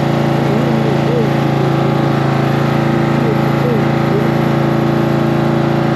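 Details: Cub Cadet tractor small engine after battery reconnected and starting fluid in carburetor: even, unbroken putter about four beats a second, no misses or knocks; normal idle.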